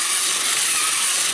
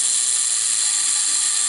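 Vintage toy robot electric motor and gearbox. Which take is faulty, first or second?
second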